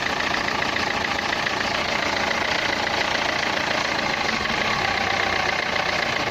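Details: Renault Clio 3 1.5 dCi 105 hp diesel at idle: a rattly idle with a sharp ticking clatter over the engine beat, described as a sound in the injectors; the source is unconfirmed.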